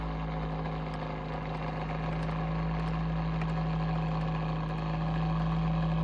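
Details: Bionaire ceramic tower heater: steady low hum with a faint rhythmic flutter, about four pulses a second, from the fan; abnormal motor noise, cause unclear.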